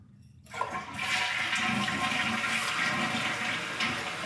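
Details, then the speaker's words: Toilet test flush after replacing the flusher: a strong rush of water starts abruptly and drains steadily without gurgling or hissing; normal flush. "yeah that's actually not too bad and closing back up it gives enough time to get that water to go down and flush whatever needs to be flushed down here"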